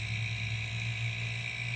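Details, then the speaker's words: Homemade silent airbrush air compressor, running after the ineffective water/oil separator was replaced with a moisture trap: low steady hum with a faint high buzz on top, quiet and even. Healthy compressor running normally. "like i said very quiet here a little buzz in there i think that's the motor running now"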